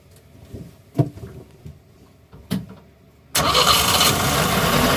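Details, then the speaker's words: Boat inboard engine started after a complete rewiring; quiet ticking and clicks, then it fires and runs steadily with cooling water squirting out the back, so the pump works. After 30 minutes it reaches 140 degrees, oil pressure holds, and the ammeter has a problem. "I can hear the water squirting out the back, so the pump's working."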